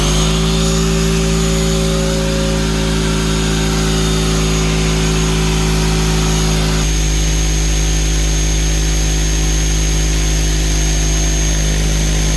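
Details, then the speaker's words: Campbell Hausfeld 26-gallon air compressor after a leak repair by threading and a new pressure switch: a loud, even motor drone with a steady pump chug, building and holding pressure with no leaks, running healthy. "turn it off she's got no leaks anywhere sounds real good everything's holding real tight I'm not losing any pressure"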